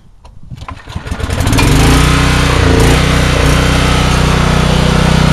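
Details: $100 4,000-watt generator restarted after a brief interruption, so not fully cold: it fires within a second or two, then settles into a steady, even drone with no stumbles. The generator starts and runs healthy.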